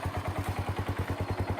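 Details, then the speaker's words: Kawasaki Bayou single-cylinder ATV after replacing its rotten muffler with a used Kawasaki 300 muffler in the stock location: steady thumping at about eight pulses a second with a fairly soft exhaust note, so the muffler is doing its job. "Hildy lets it breathe really good nice mounted in the stock location kind of free solid I don't think can we can do better okay I think it's gonna work all right"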